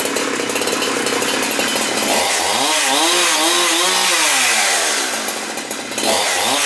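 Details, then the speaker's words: Husqvarna 372XP chainsaw with rebuilt Walbro carburetor (previously stalled instead of idling when warm), L screw set about 1 1/4 turns, first start after rebuild with dry carb: high buzz dropping to smooth idle, revving cleanly without bogging; normal running. "Well, there's no gas in this carburetor, so it'll probably take a while to start. Decompression tab's in, ignition is on. Fire it up."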